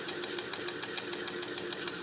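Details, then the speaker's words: Ceiling fan opened up and run at low speed: dry scratching rasp repeating several times a second, steady; something rubbing inside, not necessarily the bearings, cause not pinned down. "यह जो खर्च खर्च खर्च खर्च करके जो आवाज आ रही है"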